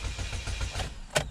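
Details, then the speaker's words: 2006 Chevy HHR with the fuel pump fuse (#13, 15 A) pulled, cranked to depressurize the fuel system before replacing rusted fuel pipes: the starter churns in even pulses, about six a second, and the engine never fires because there is no fuel pressure. "now we're gonna crank it over a bit to depressurize the fuel system notice that the engine isn't running"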